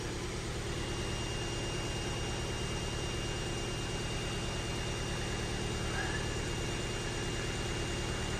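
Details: Ford Fiesta salvage car with suspected flood damage, idling: steady, even idle with smooth low hum, no skips or knocks, despite stored misfire codes on cylinders 1 and 2; owner unsure if plugs or leads. Normal idle.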